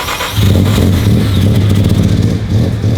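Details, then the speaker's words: Mazda RX7 rotary, first start after sitting abandoned, brought back to running: engine catches and settles straight into a steady, even low drone with no misses or knocks; smooth, easy, healthy start. "It was so smooth and easy. I'm underwhelmed."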